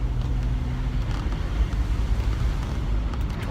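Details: Jeep on Kumho Road Venture AT51 tires at about 30 mph with a window open: low, even road rumble with no hum, whine or thump; any rattles come from the plate and suspension, and the tires are quiet and healthy.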